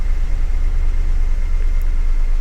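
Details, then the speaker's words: Salvage Cadillac DTS, 2007 or 2009, low on fuel: low, smooth, steady idle hum with no ticking, misses or surging. It started right up and runs good. "I'll give it this though, started right up and it runs good. That much I can say for it."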